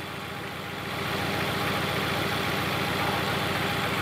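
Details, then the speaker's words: Fiat Palio at idle, misfire first appearing when cold: steady beat with a repeating stumble three or four times a second; oscilloscope shows no spark on cylinder 3, dead cylinder. "nada muerto el tres no hay chispa en el 3"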